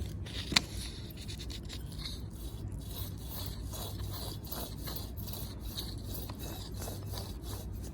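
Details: Nissan Titan, 284,000 miles, removed front wheel hub bearing turned by hand: a dry, gritty scraping rasp that drags unevenly and stops quickly, barely spinning; badly worn bearing, replaced with a new one that turns silently.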